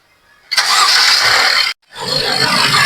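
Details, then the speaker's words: Mercedes-Benz GLC 250 after repair replacing the alternator pulley and A/C compressor bearing/pulley that caused an engine-bay noise: cranks and catches into a steady even idle with no squeal or rattle from the belt side; noise gone. "Ya, ahí no suena, ¿ya? Ahí ponle de, ponle de. Ya, ahí está Andy, ¿ya? Ya, ahí ya no suena, ya, ya no suena."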